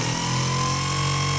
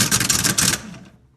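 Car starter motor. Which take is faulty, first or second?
second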